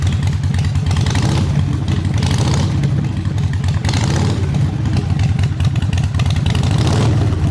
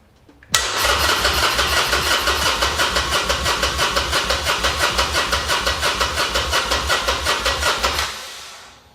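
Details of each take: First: Harley Sportster V-twin, first start after fuel issue fixed and jump box used: deep, steady loping potato-potato idle, no misses or rattles, throttle responsive; normal idle. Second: Harley Sportster, engine untouched, with a new battery: about seven seconds of steady cranking at about three compressions a second without catching; the pump can be heard running, and the no-start turned out to be a fuel issue with the fuel line.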